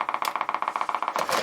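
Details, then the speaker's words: Kriesler 11-20 ("Plum Pudding") valve radio on power-up: fast, even put-put pulsing about eighteen beats a second, confirmed oscillating via a nearby transistor radio; motorboating. "so it's oscillating that's good so now we've got to find the problem"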